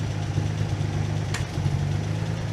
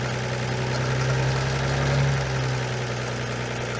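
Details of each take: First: Armstrong Siddeley Special, after oil pressure check (gauge line blocked, 40 psi at cranking): steady low even idle with soft regular beat, no misses; running smoothly, much better. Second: Armstrong Siddeley Special after new plugs, cleaned and new condenser: catches and holds a fast steady idle with even low drone, well above normal; throttle linkage needs adjusting, no oil pressure showing.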